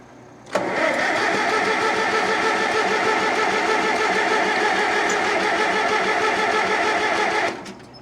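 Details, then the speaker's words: 1947 Farmall M tractor, first start since about October after sitting all winter, battery likely weak, carburetor dripping fuel (owner hopes float isn't sticking): about seven seconds of even cranking that never catches; engine flooded. "well she's flooded flooded for sure let's give the battery a quick charge"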